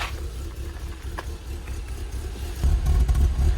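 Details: BMW E36 Compact 316i petrol at cold start, idling unevenly with a stumbling low chuffing beat; an air leak causing an emission fault, with a MAF sensor replacement as the fix.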